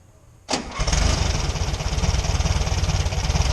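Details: VW Fusca (Beetle) after removing a makeshift air filter part that was causing a noise, during alternator bearing work: brief crank, then a steady, even low putter with no rattle; normal idle.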